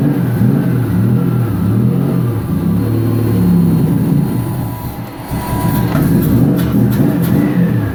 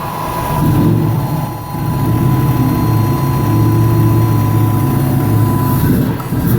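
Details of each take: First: 1999 Nissan Frontier SE, turbocharged VG33E petrol engine, newly built and run briefly without coolant after the AFR was leaned toward 14: revs up and down smoothly, pulls strongly and settles without misfires or knocks. Healthy. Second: 1999 Nissan Frontier SE, turbocharged VG33E, after ECU timing and air-fuel ratio changes: a low, uneven idle that nearly stalls twice. It is running too rich with smoke, and the owner plans to lean it to about 14 AFR.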